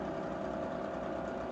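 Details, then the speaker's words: Vintage Arvin instant electric fan-forced heater found dusty in storage, fan initially wouldn't spin, now running below high, sparks seen, needs cleaning. Steady mid-pitched motor buzz with slight rattle, even throughout; fan motor running. "the fan in this thing actually works and it's putting off a lot of heat and that's not even on high"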